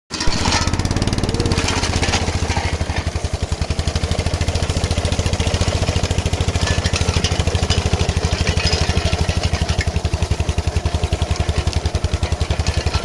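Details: KM2 PTO-driven potato digger tested after repair on an MTZ-05 walk-behind tractor: the single-cylinder engine thumps at a steady, even rate under light load, with no knocks or grinding from the digger.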